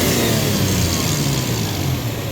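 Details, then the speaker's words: Toyota Tacoma 3.4 with code P0171 lean and lack of power at high speed: a strong, free wide-open-throttle rev with no restriction heard, while the mass airflow meter signal reaches 4.2 V. "4.2, and you heard the engine, the sound of the engine. It sounds like there's no restriction."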